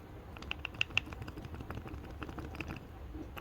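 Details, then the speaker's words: Removed old driver-side long driveshaft, Proton Inspira / Lancer 08, very oily, flexed by hand with no engine running: a few sharp, light clicks from the loose joint, unlike the solid new one; worn CV joint clicking. "This is the old one, which is very oily. Alright, you can hear some sound from it."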